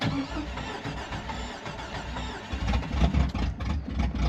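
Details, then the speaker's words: Jeep XJ with AW4 automatic, 40 psi oil pressure on a gauge, quit running: heavy, low, uneven chugging as it cranks but never catches; it is out of gas, and the owner suspects hydraulic lifters pumping up and holding valves open. "It's out of gas. I think the hydraulic lifters are pumping up and holding the valves open."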